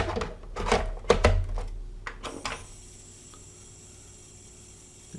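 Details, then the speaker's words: Sega 32x, working but screeching on every use, worse with 32x games, even without a game; L7 coil suspected: a thin steady high-pitched electronic screech continues faintly after cartridge-handling clunks. "still makes the screeching noise makes it a little worse on the 32x games even if I were to just power down without a game in it it still makes the noise"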